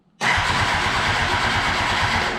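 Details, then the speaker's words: 2007 Kawasaki Ninja ZX10R, about 15,452 miles, broken gauge cluster: starter cranks evenly about two seconds with compression pulses but never fires; fuel pump not heard priming, so owner suspects no fuel delivery; no start. "okay so it cranks we're not getting anything cuz that fuel pump's not priming we're not getting fuel"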